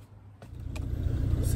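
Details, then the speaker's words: Rover P4 80 carburettor engine idling evenly as it warms, steady firing with no misses, pops or backfire, after fixing the faulty carburettor fuel shut-off solenoid that caused backfiring at switch-off; backfire appears solved. "fingers crossed no bang so i think we've solved the problem of the backfire"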